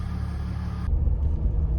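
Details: 2007 Jeep Grand Cherokee Limited CRD, 3.0 Mercedes OM642 turbo diesel, revved toward about 3000 rpm after a repair cleared limp mode; now drivable. Deep, steady low rumble with no knocks or surging; normal running.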